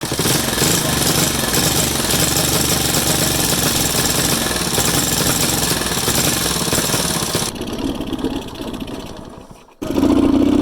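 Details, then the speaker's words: Alpha Delta moped engine chokes, dies, won't gain speed, misfires, smokes, idles poorly, with foreign engine noise; ragged uneven firing, rapping knocks and sputtering drop-off; cylinder found damaged with piece broken off, piston sitting wrong, causing misfire and knock. "Мопед Альфа дельта давиться, дохне, не хоче набирати скористь."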